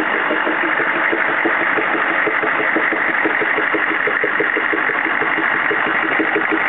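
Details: CUCV-II 6.5L diesel idling with a steady, slightly uneven popping pulse about twice a second over the clatter; idle misfire-type pop, cause unknown.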